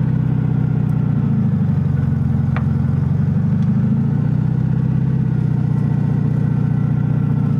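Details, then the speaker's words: 1971/72 VW Super Beetle, first drive after sitting over 30 years with rodent infestation; low air-cooled drone with a pulsing, insect-like locust buzz while driving, source unknown. "whatever that noise is is kind of concerning me though it sounds like a locust but i know that's not what it"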